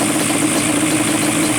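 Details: Banshee two-stroke twin after carburetor synchronization with a synch tool, both carbs set to about 5 on the gauge, fast idle preferred: even, steady buzzy idle with no hunting or surging, cylinders balanced and healthy.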